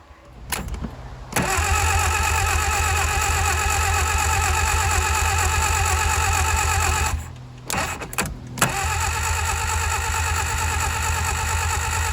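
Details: 1959 Reliant Regal Mk5/Mk6 three-wheeler, unstarted over 20 years, starter bendix just freed, poor earth connections: starter spins engine steadily about three beats a second for several seconds, stops, retries, never fires.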